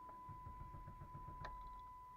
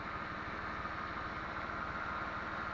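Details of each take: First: 1998 Dodge Intrepid on a warm day: fuel pump heard priming, then steady starter cranking with a faint pump whine. The engine stumbles without firing on the first try; it starts harder when cold, about 12 tries. Hard start. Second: 1998 Dodge Intrepid idling cold after reconnecting the fan connector: steady, even idle with smooth regular pulse and no cooling-fan roar, fans previously ran constantly; normal idle.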